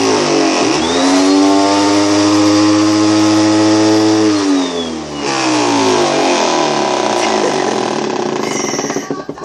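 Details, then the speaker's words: Bissell vacuum cleaner running with a loud, rough roar and steady buzzing drone, likened to a chainsaw or moped and far harsher than normal; the motor is faulty, cause unknown, and the owner believes it is broken. "Okay, listen to this. My vacuum cleaner. It sounds like a freaking I don't know, chainsaw or moped or something."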